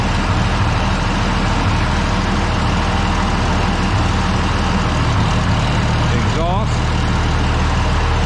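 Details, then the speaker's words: Tractor idling at 48°F after a quick start aided by the intake-air preheater, oil pressure okay: even, steady diesel rumble, idling nicely, normal idle. "Still sitting there idling nice as can be."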